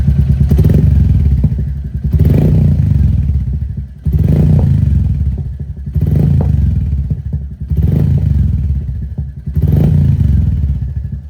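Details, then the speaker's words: Royal Enfield Meteor 350 with aftermarket slip-on muffler (not straight pipe), idling with throttle blips; deep loud single-cylinder thump, loud enough to shake the mirrors, healthy note. "तो अभी इतनी आवाज़ है bike के exhaust की। ठीक है, ये सिर्फ स्लिप ऑन है, स्ट्रेट पाइप नहीं है, ओनली स्लिप ऑन।"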